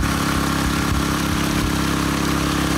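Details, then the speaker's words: Honda WX15 1.5-inch water pump, after sitting three years, running at about half throttle feeding a high banker. Small single-cylinder engine holding a steady, even drone with no knocks or misses; normal running. "So there you have it. Running about half throttle right now. Should be plenty good."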